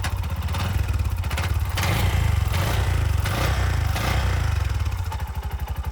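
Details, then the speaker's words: Auto rickshaw after starter motor repair (armature and brushes refitted): strong quick cranking catches cleanly into steady running, no grinding or hesitation; previously started haltingly, now sound fully changed; normal start. "ಇವಾಗ sound ಎಲ್ಲ full change ಆಗೋಯ್ತು ಮುಂಚೆ ಒಂತರ ನಿಂತು ನಿಂತು start ಆಗೋದು ಇವಾಗ ಇಲ್ಲ ಟೋಟಲ್ ಚೇಂಜ್ ಸೌಂಡೇ ಚೇಂಜ್"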